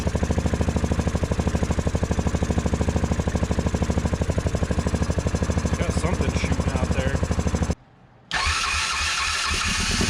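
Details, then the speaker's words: 2010 Yamaha Grizzly 450 ATV barn find, jump-started, stalls at fast idle as soon as the air box lid is fitted. Owner suspected blow-by, then found milky oil-coolant mix and white coolant-like smoke: engine believed toast. "it just dies as soon as I put the air box lid on because I think there's so much Blow by"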